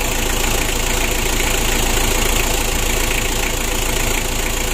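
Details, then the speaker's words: Freshly rebuilt 2017 Mitsubishi L300 diesel engine, first start after assembly with new oil and fuel filters; steady, even diesel clatter at idle with no misses or odd knocks, oil pressure rising, no leaks; normal idle. "ya Alhamdulillah untuk mesin L300 nya ini sudah kita hidupkan bosku untuk suaranya juga bagus semuanya aman ya"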